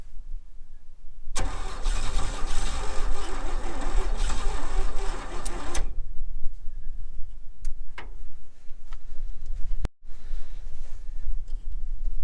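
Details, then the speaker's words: 1961 Chevy Bel Air 235 inline six, parked since 1981: about four seconds of even cranking with no firing, then stops; points gapped too wide at 0.030 in, no spark; reset to 0.017 in with feeler gauge and it fires. "i had to come back and adjust the points i had him at thirty thousands and uh my friend norm here he does everything for me he's awesome gave me his feeler gauge because i can't find mine and uh got him set to 17 thousands and she fires"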